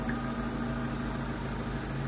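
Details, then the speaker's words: Opel Astra Cabrio running thicker oil, warm idle after half a bottle of lifter additive: smooth steady idle with only a faint light ticking, which is the purge valve, not the hydraulic lifters. "ich habe da jetzt mal die halbe Flasche reingekippt das scheint wirklich zu helfen das leichte tackern was man jetzt noch hörte sind nicht die hydrus das ist die"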